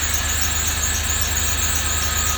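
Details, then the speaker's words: 2006 Range Rover Sport Supercharged idling on first start-up for restoration: steady, piercing high squeal from the slipping serpentine accessory belt over a low engine idle; the belt needs replacing. "Hear that belt? That's a belt squeak. That's a belt squeak."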